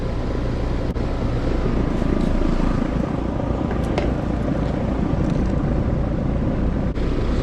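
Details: Heat pump outdoor unit, fan disconnected, defrost cycling okay, head pressure seemed normal; compressor draws about 10.3 A (11.5 A total). Loud rough rushing roar with a coarse rattle beneath. Compressor is the loud noise, judged about to fail and needing replacement.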